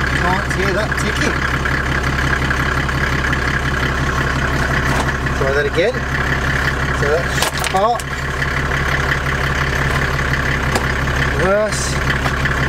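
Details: Land Rover Defender with OM606 six-cylinder diesel and automatic conversion, transfer box in neutral, then reverse, after the auto box fault fix: steady, even diesel idle with a smooth low rumble and no tick; normal idle.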